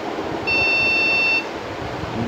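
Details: Desktop PC with no display giving one long high POST beep of nearly a second, repeating: a memory fault, with beeping stopping after the RAM was replaced.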